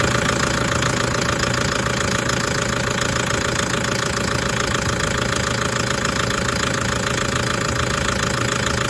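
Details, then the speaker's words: Toyota 1KD-FTV D4D diesel idling cold, injectors done the day before: a regular metallic knock three to four times a second. It began after a fine 20 km drive and cycles about 10 s on and off. It later cured itself; the owner suspects water, cause unconfirmed. "okay just for the record it was doing that at idle we did the injectors on this yesterday it ran fine on the road test at ran find a drive 20ks and it started that rattle yesterday afternoon"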